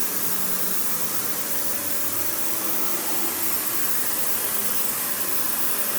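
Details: Panasonic upright vacuum, one of the last sold in the US market, with bare-floor switch, low-mounted power switch, auto height adjustment and brush roll that stops when upright: steady even motor roar, smooth airy hiss, no knocking, rubbing or surging; normal running.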